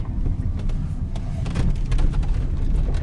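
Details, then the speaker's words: 2019 Lada Granta liftback, 47,000 km, driven over rough pavement: short irregular creaks and ticks over heavy road rumble, coming from the left and right door pillars; squeak began around 20,000 km and worsened by 50,000 km. "этот звук идет со стоек с левой и с правой"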